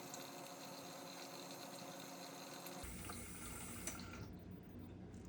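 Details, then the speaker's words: GE dishwasher (not washing, stuck in drain, FTD error) on test: a steady rush of water starts abruptly and flows evenly into the tub; normal water fill before the wash. "And watch it. It's gonna fill up, then start to wash."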